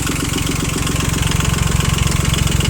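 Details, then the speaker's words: Yanmar YM2500 rear-wheel-drive Japanese mini tractor, three-cylinder diesel, 1004 engine hours, idling: steady, even diesel knock with a firm low beat, no misses or odd noises; runs smooth, responds crisply to throttle; normal idle. "Отсюда, собственно, и работа трактора, работа двигателя очень ровненькая, очень хорошая. Опять же видим, что двигатель работает ровно, на педаль газа отзывается очень хорошо, сразу же четко набирает обороты."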